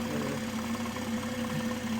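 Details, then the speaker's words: 2023 BMW M240i B58 engine, 4,000 miles, being rebuilt after wreck: faint regular light knock under idle from low in the block, heard from under the car in the middle; owner concludes it needs rod bearings at least, unconfirmed. "Well, we've confirmed one thing. This motor needs new rod bearings at the least. This is the conclusion we came to."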